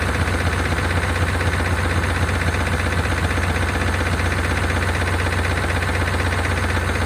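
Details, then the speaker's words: 1992 Chevrolet Caprice wagon V8 parts car, sat in a field, thought seized; oil nearly new, about a quart low. Even light tick about four per second over low idle, louder on restart; owner suspects lifters, unconfirmed. "see if we can uh fire back up and get those lifters to quiet down uh that sounds a little louder gun"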